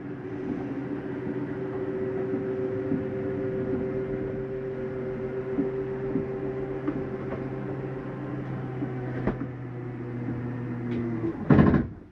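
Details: 2015 Jayco Eagle 306RKDS RV, slide-in selected at the control panel with the doors closed: a steady motor hum and low drone, then a short sharp clatter as it stops. Normal; the noise signals the slide is fully in.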